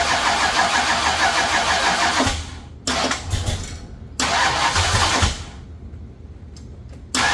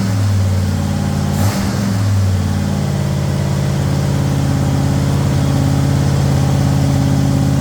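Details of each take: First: Ford Thunderbird Town Landau with swapped 460 V8 and C6 transmission, first start: short cranking bursts with uneven, stumbling firing, and it won't stay running. The carb sprays fuel; owner suspects ignition timing. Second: Ford Thunderbird Town Landau after 460 V8 swap with C6 transmission, heard from the rear with good oil pressure: throttle blip then smooth, even rumble, no knocks, ticks or rattles; normal running.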